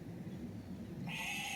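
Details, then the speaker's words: 1992 Mercedes 600SEL: after shutdown a steady high electric pump whine keeps running, and the antenna also cycles by itself; owner suspects the car was jump-started with reversed polarity, not confirmed. "It keeps back, it just keeps running. So okay, that's the least of my concerns right now."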